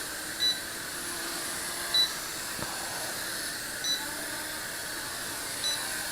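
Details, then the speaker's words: Holy Stone HS340 micro drone flying aggressively with prop guards: the light flashes and the transmitter gives four short high beeps every two seconds over motor hiss, warning of low battery before the drone lands itself, depleted. "The light flashes and the transmitter beeps when you're on low battery."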